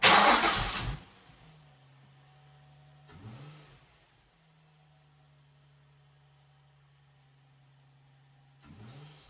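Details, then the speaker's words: 2004 Nissan 350Z just after fitting new OEM-spec fuel pump, cam and crank sensors: shrill whine, then steady cranking that pauses and resumes while fuel primes, before the engine catches and settles; normal cranking and starting. "there we go. It took a little while to prime it through, but she's running."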